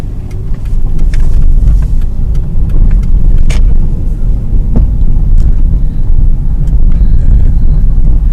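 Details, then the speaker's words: 2001 Ford Escape test drive after replacing sway bar end links: steady road rumble while turning, no crackling or popping from the front end; some leftover noise attributed to bad inner tie rod and power steering. "I hear no crackles or pops so the end links are now good and it and the actual noises went away"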